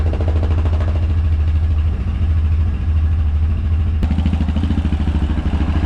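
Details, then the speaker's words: Yamaha Rhino 700 single-cylinder after engine rebuild, warming up at fast idle: even, clean thumping, no knocks or misses; sounds good, idle to be adjusted down slightly. "We probably have a few minutes at least before the fan kicks on. That sounds real good. Still think we'll have to adjust that idle down, or idle down just a little bit."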